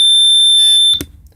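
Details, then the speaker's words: 1985 Sea Ray 270 boat, alarm system that warns of bilge water, fire or fumes: one loud, steady high-pitched electronic tone for about a second, then cuts off; alarm works on test. "underneath here we have uh the alarm system this is it'll alarm you for buge water fire or fumes"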